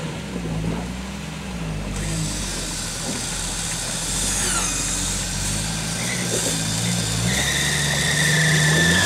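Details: Alternator belt squeal after a full day of winching while climbing out of a hole: high, thin squeal over a labouring engine as heavy electrical load makes the belt slip.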